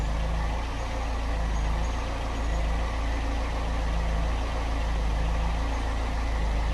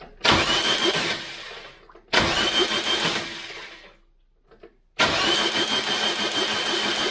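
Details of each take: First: Ford Cortina Mk3 2.0 Pinto four-cylinder after replacing the hardened valve stem seals, which had caused smoke on start-up and oil burning at idle, warming up: smooth, even low idle with a steady beat and no ticks or misses. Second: Mk3 Cortina 2.0 Pinto engine, cranking after stem seal replacement and head refit, spray bar test: three cranking bursts with harsh sharp crackle over starter churn; loud spark, owner suspects jumping straight out of the coil, petrol about.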